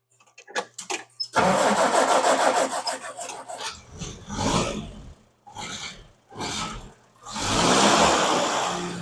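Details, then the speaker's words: Cold start of a supposedly restored Jeep: a quick light tick rides over the cold idle and revs from one exhaust valve, lasting until warm as clearance tightens. Adjusting it needs exhaust manifold and side cover removal, so it was left unadjusted. "Once you start it up, now you're going to hear you're going to hear a valve tick, and it does that until it's warmed up. It's an exhaust valve."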